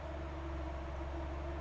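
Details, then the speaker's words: Mazda Miata at start-up: steady, deep rumble with an unhurried firing beat and no misses, idling too slow; owner suspects the throttle was previously holding the valve open instead of the idle control valve. "all right now I have a very low idle probably because the throttle may have been holding the uh the valve open"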